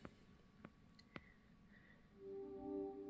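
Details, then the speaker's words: Samsung UN58TU7000F TV, back cover off: soft relay clicks, then startup chime begins as backlight comes on, goes off, slightly on; continuous boot-loop power cycling, blinking standby light. "and then hear the sound and so that's basically what's happening backlight comes on goes off slightly on again and then you hear the sound"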